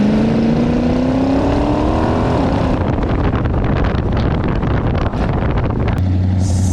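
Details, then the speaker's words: Vehicle just fitted with new gears: engine pulls then drops to coast with loose rattling clatter through the driveline, changing as throttle goes up and down; something loose in the gears suspected, not confirmed. "something is very wrong in the gears I don't know what it is but something's way loose like it's making all kinds of noise like you can hear the difference when you like throttle it up and down"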